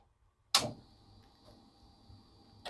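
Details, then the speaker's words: Integra fuel pump, first prime after rewiring, with lines and filter covered to catch leaks: a click, a faint steady high hum for about two seconds, then a click off; normal prime, wiring good, gauge later shows about 30 psi. "okay so that's good that means I did my wiring right so I'm going to Prime this a few times create pressure on the system"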